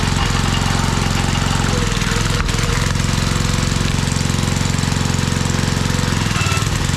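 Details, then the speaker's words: Old Briggs & Stratton 5 hp engine on a homemade wood splitter with a Montgomery Ward ram, run without air cleaner and little fuel added; steady chug sags and wavers, surging as if running out of fuel. Owner suspects low fuel, some lost to vacuum. "Did I not give you much fuel or what? It's possible you ain't sucking it all down because I didn't put much in. Plus I lost some with the vacuum there. It almost sounds like it's running out, huh?"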